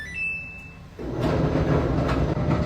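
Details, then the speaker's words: Samsung DV45K6500EV/AB dryer: a short chime, then it starts with a heavy, train-like rumble from worn drum support rollers, later replaced. "My dryer is making a funny noise and my wife says I need to fix it."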